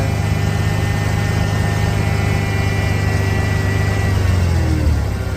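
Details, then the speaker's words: Ford Bronco restoration after setting the timing and replacing the fuel pressure regulator; steady, even engine note holding a little fast and never settling lower; high idle. "just out of uh just out of curiosity still seems to be idling a bit high"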